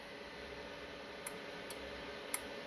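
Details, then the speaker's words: Messenger M1200 2x8 CB amplifier after repair and power wire upgrade, on SSB without dummy load: four crisp relay clicks over faint hiss, pulling in and dropping out cleanly with a short hang delay; normal keying. "Let's listen to the relay. I'm gonna key and unkey real quick. Alright, that's real quick. SSB."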